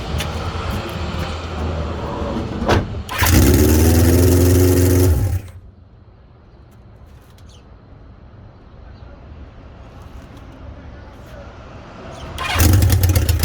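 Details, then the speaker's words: 1976 Honda CB550 just reassembled, fires and runs loud and raspy in short bursts with a high-pitched harsh edge; owner believes it is an exhaust leak from copper crush washers left out at the headers. "the engine fires but it's extra loud because in my haste i forgot to install those little copper crush washers at the exhaust headers so i reckon it's making that exhaust leak noise you know high pitch"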